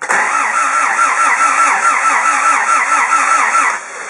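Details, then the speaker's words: Tired old engine in a newly bought secondhand car, heavy blow-by, choke plate open, fuel tipped down the throat: steady starter cranking about two turns a second with faint catches that never pick up; wants to fire but won't, owner suspects timing, not confirmed. "When I tip a bit of fuel down the throat, she does want to fire, but she just won't."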